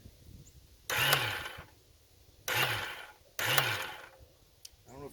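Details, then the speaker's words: 1995 Kawasaki 750 STS jet ski left out in the weather with heavy engine-bay corrosion: three short half-second starter whirs without turning the engine over. Starter spins but engine doesn't crank; corrosion suspected, not confirmed. "it sounds like a starter uh they have mentioned this before one of the issues that noticed is the shouldn't be turning over so this must be corroded as well"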